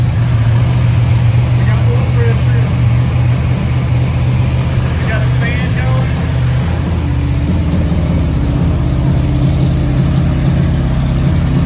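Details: Freshly rebuilt Chevy 283 V8 for a 1974 Chevy Nova with rebuilt carburetor, first start: loud, steady, even rumble with no knocks, ticks or misses, holding a smooth fast idle; healthy engine.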